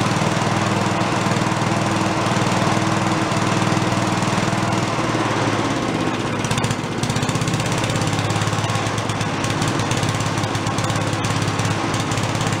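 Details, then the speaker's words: Late-70s/early-80s Giant Vac walk-behind leaf blower, primed, first run: small two-stroke screams at a steady high buzz at full throttle, holding revs evenly; runs fine but falls flat at idle since the carb has no idle circuit. "let's go for a little under full throttle T oh it goes"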